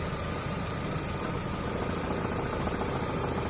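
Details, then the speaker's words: Lada Vesta, about one month old, 1400 km, uneven knock just under two per second at idle, not very regular; stops when the clutch pedal is pressed and returns when released; cause unknown. "Стук откуда-то идет. Сцепление выжимаешь, перестает."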